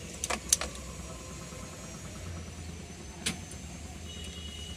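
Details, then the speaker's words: Tata Ace Gold with the dynamo indicator not lighting and the battery at 12.33 V: a few sharp dry clicks at the key with no cranking, as the relay cuts out. "Tick one sound వచ్చి ఆగిపోతుంది అన్నమాట"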